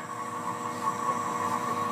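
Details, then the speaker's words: 6.0L Powerstroke crank no-start with low ICP codes, high-pressure oil system pressurized with about 150 psi shop air: faint steady hiss and thin whistle escaping at the oil fill; internal high-pressure oil leak. "So I got air on there, 150 psi, whatever it is, shop air, and you could hear it out of the oil fill"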